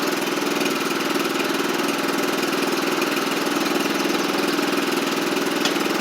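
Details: John Deere LT150 mower single-cylinder idling evenly with no knocks or misses after exhaust gasket and nuts replaced (previously had no exhaust); sounds as it should.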